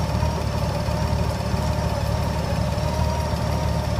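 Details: GL1800 flat-six with a deep, low idle that wavers and stumbles slightly rather than staying even. Rough idle, cause not pinned down.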